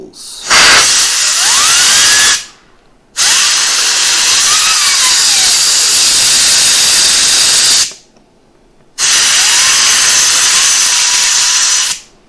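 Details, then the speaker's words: HP Pavilion G6 laptop (Windows 8.1) with reported overheating and something knocking against the fan; after blowing debris out, a clean, steady high whir with no rattle or ticking, so the fan now spins freely. "it's not rattling anymore which is a good sign very good sign"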